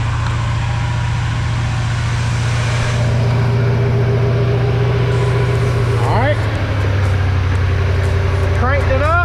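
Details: 1999 Ford F-150 XLT 5.4L V8 after new serpentine belt install: even steady low idle hum with no belt squeal or chirp; belt intact, engine healthy.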